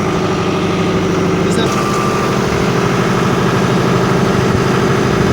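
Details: John Deere 5725 turbo tractor that came in for a strange noise in the transmission brake leg, traced to a damaged brake disc: a steady, even diesel run with a smooth low rumble and no knocks or grinding. Running sounds normal.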